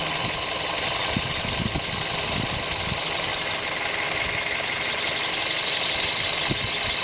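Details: 2000 Toyota bB Z X-version, 220,000 km, engine start: catches and settles to idle with a quick, uneven ticking clatter over the run; cause not yet clear. Abnormal engine noise at idle.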